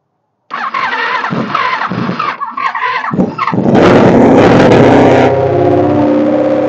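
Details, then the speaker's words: Honda ST1300 motorcycle after alternator replacement and new battery, exhaust pipe off for clamping: starter churns about three seconds, then it catches into a loud, open, raspy run. First start successful. "There we have it. First start successful."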